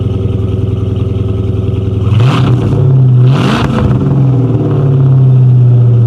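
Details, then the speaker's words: 1997 Mustang GT, 4.6 V8, 5-speed manual, which needed only an intake manifold: it fires and settles into a smooth, deep idle, then takes two clean throttle blips and returns evenly; runs perfectly. "As you can hear, she runs absolutely perfect, guys. I mean, 100% perfect."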